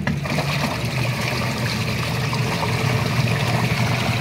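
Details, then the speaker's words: Twin tub washing machine during repair service: strong steady water churning over an even motor hum, no knocking or grinding; normal wash agitation. Technician advises levelling the machine so the belt runs straight rather than tilted. "Makikita nyo yung lakas ng ikot niya sa lakas ng ano ng tubig eh, no?"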